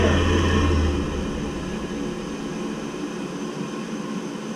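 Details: Navien tankless water heater that shut down on error code 352, re-run after repair with tech support help: a steady low roar of burner and fan with no surging or cutting out. It fires and runs normally.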